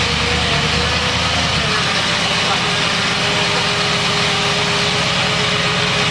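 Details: 1979 Lincoln Continental Mark V Bill Blass edition, believed to have about 49,000 original miles, cold start after sitting 8 years on a new AGM battery: big V8 settles into a steady, even idle with no knocks or misses; healthy running after long storage.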